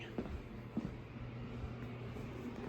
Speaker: you can hear it's real nice and blowing a whole lot of air now